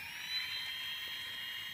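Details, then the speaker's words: Brushless motors on Afro Slim ESCs (SimonK firmware, same with BLHeli) with motor four disconnected: steady, high, even whir with no pitch wobble. The oscillation seen when both right motors run disappears. "you can hear that everything's running nice and smoothly okay so number one is running two and three and four is stationary"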